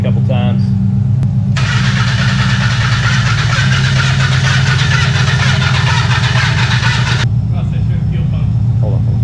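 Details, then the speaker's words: Barn-find Mazda Miata: starter spins steadily at about four beats a second for six seconds without catching; no fuel getting through and the pump was not heard kicking on, so it is suspected not running (check fuses and relays). "all right so we think that the fuel pump is either not kicking on which you might check your fuses and relays but uh we're not getting any fuel and we didn't hear it kicking on"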